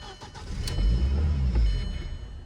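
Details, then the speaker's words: 2004 VW Passat after new crankshaft position sensor, EVAP sensor and vacuum check valve hoses: engine catches, revs to about 2,000 rpm under throttle, then dies within seconds; flashing immobilizer light. "Yeah. Went up to 2,000 RPM, but yeah, it's not going to work."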